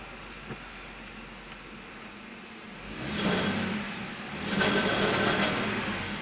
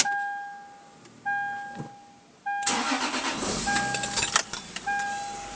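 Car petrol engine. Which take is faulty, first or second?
first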